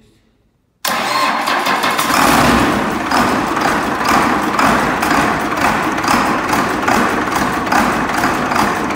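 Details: Case 2366 with Cummins 6TA-830 diesel engine started after repair: fires up promptly and settles into a steady, even idle without knocks or misses; normal start and idle.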